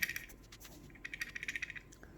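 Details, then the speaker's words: Interior furniture push-button latches (push locks) in a vehicle, heard over speed bumps. A quick light metallic clatter, about ten ticks a second, comes from loose internal parts; a modified push lock does not rattle. "wir haben das problem dass die druckknöpfe ziemlich klappern wenn man über bodenschwelle ford hat man das gehört"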